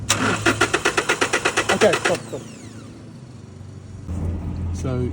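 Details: 2018 Toyota Hilux that stalled at a traffic light: about fourteen quick, even starter cranks in two seconds, then silence with no catch; cranks but won't start because the fuel pump isn't getting power through a bad ground.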